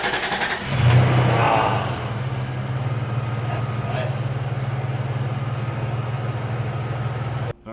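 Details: 1998 Toyota Tacoma 3.4L (3400) V6, 300,000 miles, first startup on AMSOIL oil during engine flush and oil change: cranks, catches and settles into a steady, even idle with a low smooth hum, no knocking or ticking.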